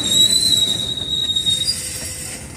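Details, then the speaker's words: CSX freight train during an air brake application, with the brake cylinders extended: a high, steady metallic squeal from the brake shoes and clicking over the rolling wagons as the train slows. "he applied a train breaks hear it clicking hear the brakes squealing now look at the brake cylinders right here see the brake cylinder extended"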